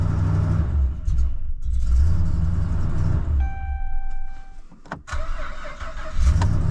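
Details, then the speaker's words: Dodge Ram 2500 Hemi: engine revs and holds briefly, then sags and dies within seconds before cranking again; an earlier security light had flashed; owner first suspected a low battery; stalling traced to corroded TIPM fuse box connectors. "thing if I rev it up it stays running but it still dies like what the hell"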